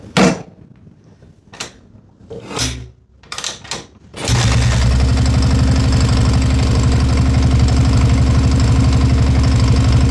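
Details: 1987 Yamaha TT600 single, not run in 20 years, after carb rebuild, oil change and valve adjustment: door clunks, then fast regular thumping idle with a heavy knock running through it; bottom end needs a rebuild.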